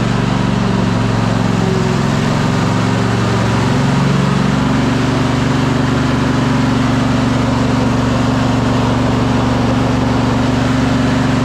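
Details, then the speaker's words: Cub Cadet Super LT 1550 lawn tractor single-cylinder Kohler engine, carburetor not yet dialed in: uneven idle, soft irregular beat that sags and shifts pitch; won't run with choke off; stalls without choke, lean running, carburetor suspected. "doesn't seem like it wants to run when choke is off. So, we might be getting back into that carburetor."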